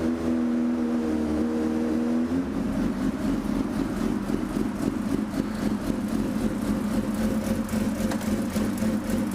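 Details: 2005 Suzuki GSX-R600 after clutch cable free-play adjustment: smooth, even four-cylinder idle dipping slightly as it is put in gear, no clutch rattle or dragging; sounds healthy.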